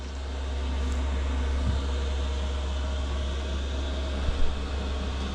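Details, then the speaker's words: Cheap Chinese diesel heater in a Peugeot Boxer van, first run after installation, heat now coming out: steady low roar with even fan hiss, no knocks or surges; normal running. "Interesting to know how loud it is inside the van."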